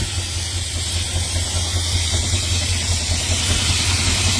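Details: 1970 Dodge Charger 440 V8 just after heater core bypass install, idle off throttle: deep rumble with constant airy hiss; owner suspects vacuum leak, also mentions possible exhaust leak.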